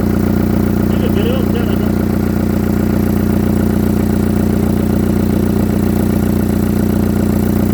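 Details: Engine at idle with a regular puff-tick about two and a half times a second over the engine note; exhaust leak suspected, not confirmed.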